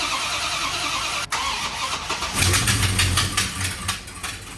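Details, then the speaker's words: 1969 Dodge Charger R/T SE V8 with Holley 650 CFM carburetor, revived after sitting 22 years, catches and runs unevenly with stumbling exhaust pulses; ignition fault: the distributor advance weights had moved out of place, so it could never be timed properly. "this point we definitely knew we had some ignition related issues we called our good friend Rudy to lend us a hand we discovered that the advanced weights in the distributor had moved out of place which means you will literally never get this engine timed properly unless they're fixed right"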